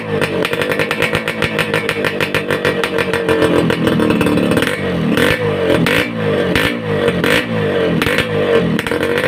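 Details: Suzuki Satria Hiu two-stroke under restoration, after glasswool/asbestos packing was fitted in the racing exhaust: quick rising and falling blips with a full, dense crackle, no tinny rattle. Normal two-stroke exhaust revving.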